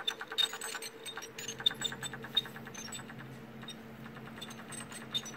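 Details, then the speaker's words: Failing small laptop hard drive, taken from an Acer laptop that freezes on the splash screen, running with a low hum, rapid uneven ticking and faint high squeaks; judged too squeaky and replaced. "since uh the home was a little too squeaky for my taste"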